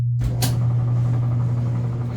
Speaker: See, it was spinning. Timer works. Awesome. Great job. Easy fix.